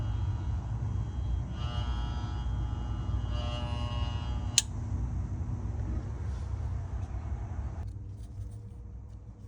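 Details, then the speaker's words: GE refrigerator not cooling: a low hum and buzz cut off by a sharp click as the compressor tries and fails to start. The start device beeps, pointing to a bad compressor, which tested not grounded. "all right guys so I'm sure you've heard the beeping and the buzzing so what we doing now we're actually checking the start device and you can hear that it's beeping so that tells you that the compressor has an issue"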